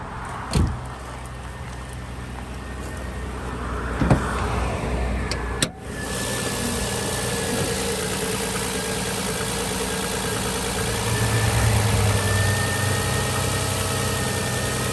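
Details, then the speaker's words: 2006 Nissan Murano SL 3.5L with limp mode and weak acceleration, just started after battery replacement, cold and warming up, idle possibly not yet correct: after handling clunks, steady even idle with no misses or knocking; sounds normal. "But what do you think about the sound of the engine? I know right now it's trying to warm up and it might not have the correct idle,"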